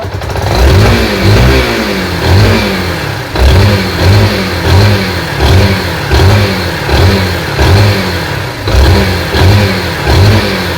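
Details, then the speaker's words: Yamaha SZ-R after repair of an engine noise: repeated crisp throttle blips, about one and a half a second, rising and falling cleanly with no knock or rattle; normal revving. "यहां पर सुनने में आ रहा हो कोई तरह का sound नहीं रहा इसमें कोई तरह का इशू नहीं एकदम परफेक्ट तरह से आवाज हो चुका हैपर तरह से आप सुन सकते हैं"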